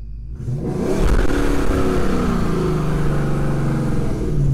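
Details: Ford 4.6/5.4 2V Triton V8 after permanent thread repair of a blown-out spark plug hole, unstarted about six months: catches quickly, then settles into a deep, steady rumble with a light rev and no ticking or popping; runs fine.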